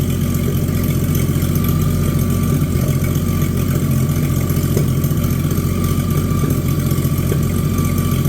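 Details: Abandoned, mouse-damaged Chevy 216 inline-six from a 1950 Chevy 1-ton truck restoration: rough, slightly lumpy idle with one cylinder pulling less. It is still using oil, smoking and not running well; weak cylinder from worn rings.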